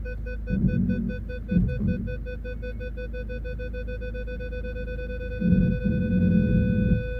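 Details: Regular high beeps about four per second over quiet idle as the Jaguar X-Type reverses toward a car behind, after parking sensor repair and cleared codes; rear parking sensors detecting properly.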